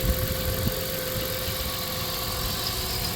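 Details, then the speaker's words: 1997 Dodge Caravan LE V6 after new rod and main bearings: smooth, even idle hum with no bottom-end noise, knocking or ticking. "no noise sounds good idle and smooth too"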